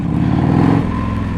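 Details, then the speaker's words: 1984 Harley-Davidson FLT Tour Glide riding, breaking in new rings (original bottom end), new jet and emulsion tube, not fully warm, not wide open. Deep engine pull rising smoothly under throttle with no stumble or popping; normal acceleration. "It's smooth. It is smooth. The engine just feels and you know, I'm not wide open."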